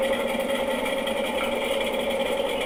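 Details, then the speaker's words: Washing machine during the spin cycle: a continuous light crackle and popping, like a popcorn popper, over a steady hum; a loose screw that probably fell in was trapped between the tub and the drum. "parecendo uma pipoqueira né"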